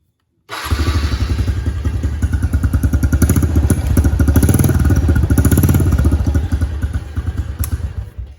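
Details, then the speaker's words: TTR 125 dirt bike with a newly installed battery: fires quickly into crisp, evenly spaced two-stroke popping at a steady beat, then shuts off; runs like a dream, headlight works; normal running. "like a dream headlight works everything's good"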